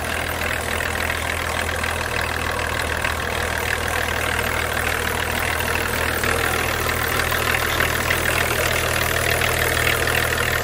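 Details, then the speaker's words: BMW E39 525tds (M51 diesel) auction car with blue smoke and very oily turbo area: loud diesel clatter at idle, uneven lumpy beat about three per second, rough running; owner unsure if turbo or leaking hose. Cause suspected, not confirmed. "mais au compte tour en fait, j'entends qu'elle, enfin, on entend qu'elle tourne pas très bien. C'est pour ça que je décide d'accélérer quelques fois là"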